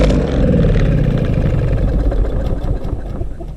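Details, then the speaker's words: Troy-Bilt TB200 self-propelled mower with a 150cc Briggs & Stratton engine fires briefly after sitting, then falters and cuts off; a new spark plug made no difference, and a fuel problem is suspected, with the carburetor next to be cleaned. "seems like it if it sits for a while it'll start then cut right off let's try it one more time here still not doing anything"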